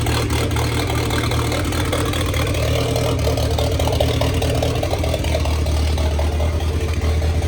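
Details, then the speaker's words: 1927 Ford Roadster 2.3L turbo four idling after fuel-line repair on fresh 91-octane fuel: steady, deep, even idle with slightly lumpy low beat, no knocks or hiss; runs fine, no leaks, just untuned. "And that's it, guys. We got it running. She's alive. And most importantly, no leaks."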